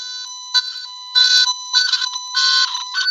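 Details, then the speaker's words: Tone tracer on a wire: steady, clear high tone once the short is broken and the loose connection found, meaning the line is no longer shorted or energized; shorted or energized lines buzz instead. "When I break my short and I find my loose connection, I get a pure tone."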